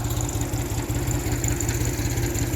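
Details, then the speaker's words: 1974 Ford 3000 gas three-cylinder tractor, revived after water locked the engine; new steering cylinders and muffler, synthetic oil with zinc additive. Even, steady putter at idle with regular low beat, no misses or knocks; runs pretty good, normal idle. "but i mean it runs pretty good like i said count nothing was completely locked up i'm very surprised"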